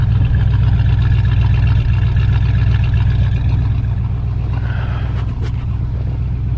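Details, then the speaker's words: 1978 Dodge D150 carbureted V8 at -23C (wind chill -35C), block heater plugged in, sat several days, idling about 6-7 minutes after cold start: deep steady burble, smooth even idle, no knocks or misses; healthy warming engine. "Doesn't that sound like a happy engine?"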